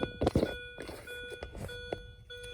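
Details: 2005 Mini Cooper S R53, 132,963 miles, no-crank, with the EWS3 module unplugged for a bypass test and the key out. A repeating multi-tone electronic beep in a quiet cabin; the owner suspects the disconnected EWS, unconfirmed.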